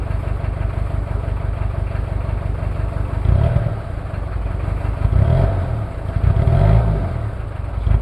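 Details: Toyota 2L-T diesel cold start after piston ring replacement without top overhaul, possible head issues: uneven lumpy low clatter with loping beat at cold idle; one bad injector misfiring, causing rough idle.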